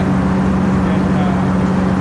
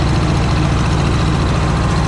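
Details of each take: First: Cub Cadet Low Boy 154 tractor after spark plug replacement: steady even drone at constant speed, no skips; runs best since owned, one old plug apparently bad for a long time. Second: Cub Low Boy 154 tractor after spark plug change: loud low engine note with a loping, irregular skip instead of an even beat; misfire because the two front plug wires were swapped; runs well once corrected.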